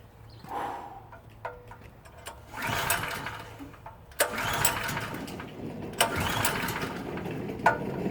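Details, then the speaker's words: PowerSmart PS44 3000W generator that sat since 2017: several pull-start cranking bursts with brief sputters and no steady run. Fuel is visible, the choke is off and the petcock is on. The owner suspects sediment clogging the fuel; this is unconfirmed. "It's got to be fuel. definitely sediments in here, so it could be clogged."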